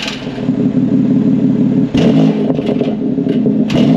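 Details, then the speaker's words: 2022 BMW X3 M with VRSF downpipes and OEM valved muffler, actuator unplugged; each light throttle blip brings a loose metallic clatter over the rising exhaust — exhaust flap inside the muffler broken and rattling. "in item it'll stay open and idle but then if we hit it you'll start to hear it rattling when I hit him just a smidge of acceleration"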